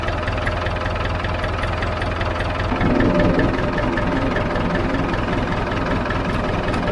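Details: David Brown 990 diesel tractor, running after about five liters of oil added, started to try the hydraulics: even idle clatter with regular firing pulses, no misses or hunting; healthy idle.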